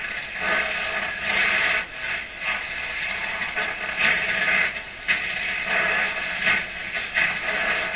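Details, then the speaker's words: Electrohome Chippendale console radio after receiver alignment and reassembly, tested in basement hallway: soft steady AM hiss swelling and fading slowly, no hum, crackle or squeal, French station received; normal AM reception hiss. "Okay, that's perfectly normal AM reception for my house. The French station is a good sign."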